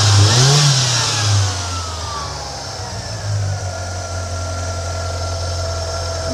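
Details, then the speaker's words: 1993 Ford Mustang Foxbody 2.3 Lima four-cylinder, previously ticking at idle even after new lifters, now running after fuel injector replacement: picks up cleanly and settles, smooth even exhaust note, no misfire or stumble; normal revving. "Hey, it almost sounds like a regular car. This is great."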